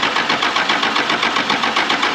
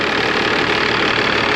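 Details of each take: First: 1996 Dodge 2500 with 12-valve Cummins, sat 15 years, cranked with fuel on and throttle worked: even starter cranking near four beats a second for five seconds, never catching; air leak at the lift pump starves it of fuel. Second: 1996 Dodge 2500 with 12-valve Cummins diesel, parked 15 years in a salvage yard, first start after bleeding the cracked injection lines: steady, even diesel clatter at idle with no misses, knocks or surging; normal, healthy diesel idle.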